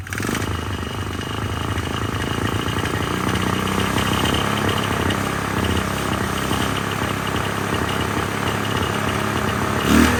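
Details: 1999 Polaris Sportsman 500 single, first start after a fuel pump replacement on a temporary tank, airbox not yet fitted. It catches and settles into an uneven, clattery idle that never smooths out: running rough, and the owner plans a carburetor adjustment.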